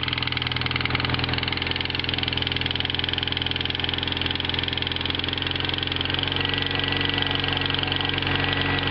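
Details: Toyota MR2 Turbo at idle with a quick, even tick about two per second tracking the firing; mechanic diagnoses a warped, leaking exhaust manifold.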